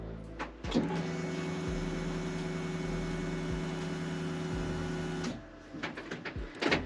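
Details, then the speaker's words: BMW E46 328Ci drift car, after fuel filter change and fitting a Walbro Motorsport 255 L/h 8.5 bar fuel pump: ignition cycled several times to fill the filter; steady electric pump hum about 4.5 s, then stops, with air bubbles gurgling in the return line. "on va devoir mettre le contact au moins trois fois histoire de bien remplir notre filtre à essence on entend la pompe donc réduire en vitesse et j'entends le pas mal de bulles d'air dans le circuit de retour"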